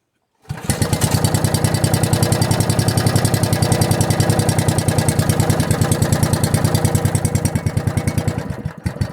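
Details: Log splitter engine with a newly installed carburetor and muffler, started on the second pull, before tuning: catches and settles to a steady, even putter of about three beats a second. Runs normally.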